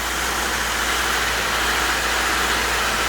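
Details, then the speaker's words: 2017 Subaru Levorg 2.0GTS just after oil change (about 5 litres), cold start: steady, even idle with loud, slightly coarse cold roar, no knocks or misses; normal cold idle. "all right so I just started it up sounds like a bit of a tank at the moment um it's cold"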